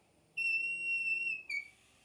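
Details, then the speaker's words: Porsche 911 Carrera 3.2 engine during a leak-down test: a clear, high, steady whistle then a brief hiss of air escaping at the tester hose-to-head fitting, not a feared broken head stud. It then read 80/80. "It shouldn't leak like that. So you hear that? That sound is from the hose."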